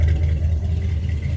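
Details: 1976 Chevy C30 one-ton V8, running after a cold start following a week of sitting: deep, steady, even rumble with no knocks or misses. Sounds healthy.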